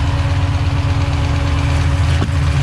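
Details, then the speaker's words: Freshly rebuilt stock Ford 302 V8 in a Fox-body Mustang, turbo build, at first fire-up; it settles into a lumpy idle with light ticking over the rumble, and ticks and some smoke are expected for a minute after the rebuild. "Now you're gonna hear some ticks and you're gonna see some smoke for a minute."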